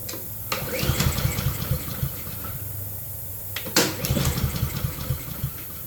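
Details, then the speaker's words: Honda self-propelled mower, fresh gasoline just added, fuel turned on: two recoil pulls, quick chuffs that die without firing. Crank but no start; carburetor needs doing. "Yep. Should have figured I have to do the dang carburetor."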